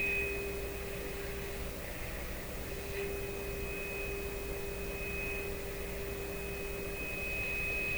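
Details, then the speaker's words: PYE Model 762 shortwave receiver (about 70 years old), final alignment: pure test tone over hiss wavers and drops in and out as the jumpy, pressure-sensitive oscillator trimmer flips between two positions; screwdriver too small to control it. "still just a little bit just wants to oscillate between two positions come on the screwdriver is too small i just can't get control over it"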